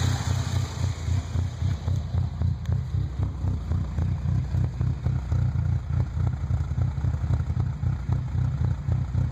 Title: 98 Frontier rough idle